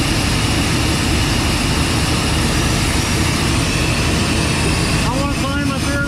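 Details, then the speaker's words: 1990 Chevrolet K2500 that had erratic random misfires, after a new distributor cap and rotor: a steady idle with an even rumble and no stumbles, so normal running; the idle has always been odd (owner suspects idle air control valve or vacuum leak). "so here we are uh went ahead and change the cap en rotor and seems to be running really good"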